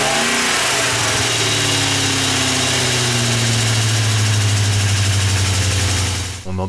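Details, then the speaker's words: BMW 535ia engine just reinstalled, cold in low ambient temperature: sharp clacking of about four per second over the revving engine from a hydraulic lifter not yet primed with oil, persisting despite several revs; expected to clear once warm. "nettement à plus soirée d'olic n'est pas réamorcer qui claque d'autant qu'il peut malgré quelques montées en régime infructueuses"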